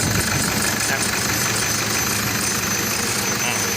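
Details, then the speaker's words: Toyota Vios idling just after start, with a quick, repeating high-pitched squeak the owner calls chirping; the battery warning light shows the charging system not working, and the squeak is traced to a slipping alternator one-way pulley. "เจ้าของรถบอกว่ามีเสียงดังเวลาสตาร์ทดังกิ๊ดๆๆๆดังเหมือนเสียงจิ้งีด"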